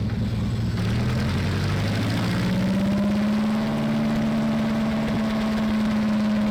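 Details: Sherman Firefly tank engine, rebuilt twice after overheating traced to the gasket lining, catches after cranking: a loud, steady, deep-throated idle with an even pulse and no knocks; runs smoothly.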